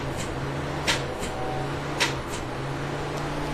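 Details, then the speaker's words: 2008 Nissan Rogue with a failed starter motor: key turned, two single sharp clicks about a second apart, and no cranking follows; starter motor failure. "when the starter fails your turn the key and nothing will happen you'll usually get an audible click that sounds something like this"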